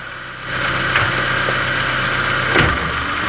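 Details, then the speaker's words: 2000 Ford Ka, Zetec engine, idling: steady idle, then a dull thump when reverse is engaged and another shortly after, no throttle needed; gearbox mount suspected worn. "Tenho quase certeza que seja calço da caixa. Eu vou dar uma funcionada aqui, vou botar vocês escutarem o barulho. Não precisa nem acelerar o carro."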